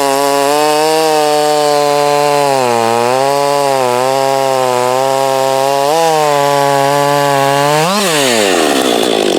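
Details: Crisp, high-revving two-stroke wail of a heat-soaked Husqvarna 562 chainsaw during test cuts, compared with a salvaged Husqvarna 51 and a 254. It dips a little into the cut, recovers cleanly and revs out free: running healthy.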